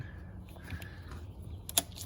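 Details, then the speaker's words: Four-wheeler that hadn't run in a while, starter wires touched together: only a couple of sharp starter relay clicks and no cranking; owner suspects a dead battery, possibly a locked-up motor. "you just hear the relay well right now i guess the battery's probably dead but i think you probably heard it it's just that's the only noise it makes"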